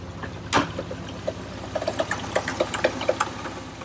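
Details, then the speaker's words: 1960 VW Beetle Convertible, needing engine work and leaking: light metallic clinks about four per second over a quiet idle; engine clinking, cause not yet found. "hear the clinging 70 kilometers okay we'll see there she is running and leaking like a zip already"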